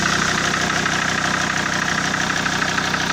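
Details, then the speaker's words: SsangYong Rexton 2.7 diesel at idle: sharp regular tapping, about three knocks a second, over the diesel clatter. The shop blamed the injectors, rebuilt one injector and replaced nozzles on two others, but the knock persists; the owner says it is not the injectors, and the cause is still unknown. "То есть стук, как он остался, так он и есть. То есть стук никуда не делся."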